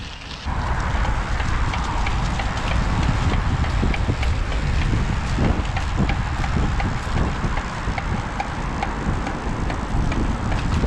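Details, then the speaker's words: Raleigh Joop Zoetemelk road bike, 5-speed rear cassette with a broken bearing: sharp dry clicks about twice a second through heavy wind rush while riding; harsh when freewheeling, sign of a bearing about to fail. "When it's freewheeling, the sound is harsh too. Last summer I learned that that sound means a bearing that will break soon."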